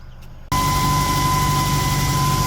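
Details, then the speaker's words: 2008 Mazda 3 running, heard from underneath the car: a steady high whine at one pitch from the in-tank fuel pump over a low hum; the fix is replacing the fuel pump module. "so this car had uh the problem the noise in the fuel pump so we start the car when I hit it the petrol pump so this is underneath the car you can hear the noise it's coming out the inside of the when hit in the tank noise is"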